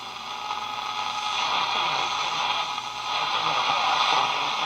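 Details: Zenith K421W AM-FM radio bought as not working, under test and repair, tuned around 1050 AM; a talk station comes through with steady hiss and a slight swishing fade; normal AM reception.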